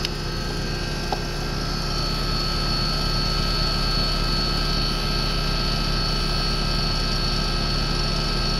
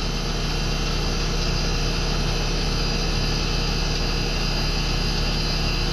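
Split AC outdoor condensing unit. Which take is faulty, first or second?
first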